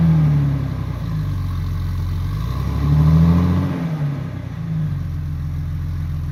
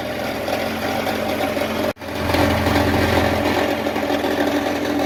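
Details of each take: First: 2000 Jeep Cherokee XJ 4.0L straight six with newly installed MBRP stainless cat-back exhaust: deep smooth note blipping once then settling to steady idle, no ticking or puffing leaks; healthy. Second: 2000 Jeep Cherokee XJ 4.0L straight-six idling on original exhaust before MBRP replacement: steady idle with loose, tinny buzzing rattle; exhaust muffler rattle at idle.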